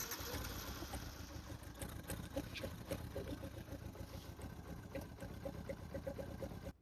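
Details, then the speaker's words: Yamaha Byson carburetor motorcycle after carb repair, warming up 10–15 minutes on flush oil later found contaminated with fuel: small single runs at a steady idle with an even putter, no misfires or knocks; normal running. "Jadi oli yang bagus ini akan kita buang hanya kita pakai selama 10 sampai 15 menit untuk melakukan pemanasan pada kendaraan pada motor ini."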